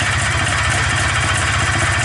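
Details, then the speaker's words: Polaris Xplorer 250 single running on a Yamaha Blaster 200cc clone carburetor that replaced the flooding stock carb: an even, steady idle with a smooth low thump and no misses, running on choke to richen it; the owner is unsure what idle it should have. "i have to choke on figured that'll help it run a little richer idle once again i don't know what this should be"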